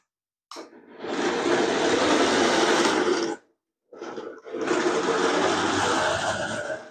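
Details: Nikko 9045 RC Teenage Mutant Ninja Turtle Party Van, a charity shop find, 2.4 GHz, driving forwards and backwards. Two smooth bursts of high motor whir with gear buzz and no slipping or clicking. Normal running.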